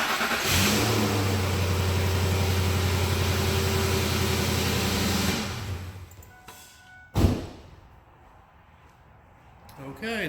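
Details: 2007 Ford F-150, 5.4L 3-valve V8, after replacing a starter with a bad solenoid that would not engage: short crank, catches at once and holds a steady even idle about five seconds before shutting off; starts cleanly.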